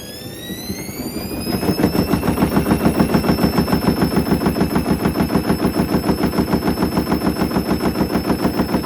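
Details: Hoover Link HL1682D3 washing machine with wrecked cabinet and twisted door seal, spinning up: hard regular banging about three per second over a rising drum whine; damaged cabinet slamming and rattling, extremely loud.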